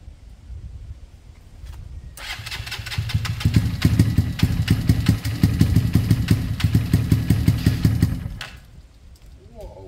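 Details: Kawasaki KSR GRS 125 with airbox and new spark plug, has compression and fuel: catches and chugs unevenly, irregular surging for about six seconds, then dies; rough running, owner suspects top-end problem, unconfirmed.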